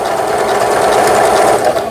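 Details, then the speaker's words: Old 220V-only Singer 7422 household sewing machine, after repair of a faulty upper-thread tension dial unit, sewing overlock stitch: rapid even needle chatter, steady rhythm, no binding or clunks; normal stitching. "오버록 스티치라 가지고 옷감의 가장자리가 풀리지 않도록 해주는 이런 기능이 되겠습니다."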